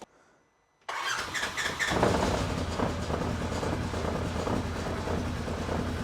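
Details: 2015 Polaris RZR 900 on first start after installing a Mother Clutcher primary clutch kit and a brand-new belt: engine catches after a short silence and settles into a steady, even run with no belt slap or clutch rattle.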